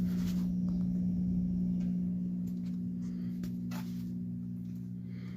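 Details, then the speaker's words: Vintage Edison infinite-speed box fan model 204016, dial fully down to slumber quiet speed (22.8 W, 0.74 A): steady, even low electrical hum, fading slightly as blades slow; normal motor at lowest speed. "And we'll center all the way down. See slumber quiet speed. You can kind of hear the humming."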